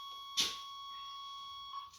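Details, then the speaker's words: 1989 Chevrolet Suburban that sat 15 years, engine not running: a single knock, then a thin, steady high-pitched tone from the dash warning buzzer. The owner notes it goes away when the coil wire is hooked up; the cause is not understood. "Like I said, it's kind of weird how you hook the coil wire up and then that buzzer goes away."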